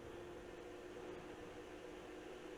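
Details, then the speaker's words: GPU cooling fans at 50% duty cycle: soft, even whir with a steady mid-pitched hum, no ticking or rubbing; both fans spin smoothly at equal speed. "and I can see both fans are spinning at the same speed we're at 50% duty cycle"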